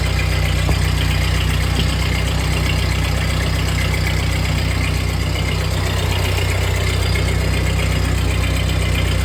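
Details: 1948 Ford 8N tractor engine after a full rebuild, first start in neutral on choke with a new, possibly unadjusted carburetor: steady, low, even putter at idle with a regular firing beat and no knocks or misses. Normal idle after rebuild; a leak still needs fixing.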